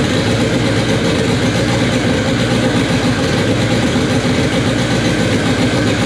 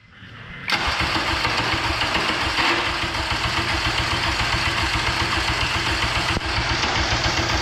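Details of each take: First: K24 engine in an all-wheel-drive Integra, first start on a FuelTech FT600 ECU after two days of settings: steady, even rumble throughout with no misses or knocks; normal idle, fuel tuning still needed. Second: K24 all-wheel-drive Integra on a FuelTech FT600 ECU: steady cranking about three to four beats a second for nearly ten seconds, never catching; crank no start with no spark, owners suspect cam sensors, plan swapping in a K20 sensor.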